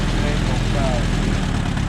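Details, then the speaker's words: 1958 Allis Chalmers D14 tractor running again: low, even thrum with a steady firing beat and no knocks or misses, purring smoothly with the PTO spinning. "Just listen to that baby purr."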